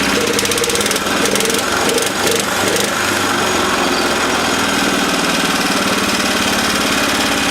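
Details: 1970s Honda E2500 generator after the governor was readjusted: a steady, even engine drone holding constant speed with no misses or knocks; normal running.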